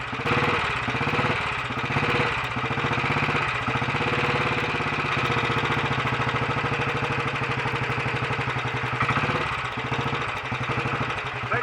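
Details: Royal Enfield Bullet 500 running with ignition timing set correctly by strobe, on a battery charger with a weak battery and slow fuel flow from the tank: even, steady single-cylinder thump with no misses or knocks; normal running.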